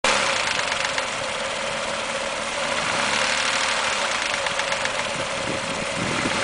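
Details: Mazda 6 petrol engine at 1000-1500 rpm after removal of clogged catalytic converters and fitting of new MSDS headers: light, uneven rattling knock over a hissy, steady hum.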